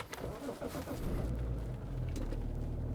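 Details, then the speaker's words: BMW E60 530xd diesel (2006), first start of the morning with winter tyres fitted, before a forced DPF regeneration; the last regeneration was 393 km earlier. Brief crank, then it catches in about a second and settles into a steady, even idle; normal cold start. "Luăm contactul. Acum pornim mașina normal."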